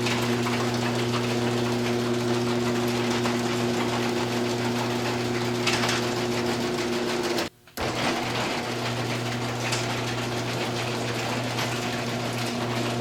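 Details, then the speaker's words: Garage door opener running before roller replacement: over the steady drone, rapid metal-on-metal clicking chatter from rollers whose bearings are worn out and loose despite greasing. "A lot of metal on metal. Real noisy. And if you can see in there, these bearings are toast."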